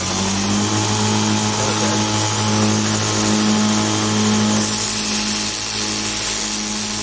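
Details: DIY 2x72 belt grinder, 2 HP motor with VFD, grinding against the belt with no platen: steady motor hum under grinding rasp, with a light tick each pass from a badly glued, overlapping Chinese belt joint; sanding barely affected.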